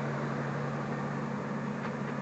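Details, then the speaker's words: 1999 Ford F-250 Super Duty, 5.4 Triton V8, 213,451 miles: even idle with steady low hum and no ticks, knocks or stumbles; normal idle. "battery you can hear it running it doesn't need anything like that"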